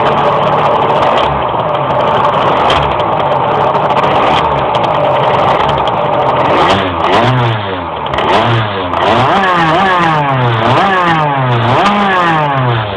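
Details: Engine under way with revs repeatedly rising and dropping; it labours and struggles to climb through the revs, a hesitation whose cause is not stated.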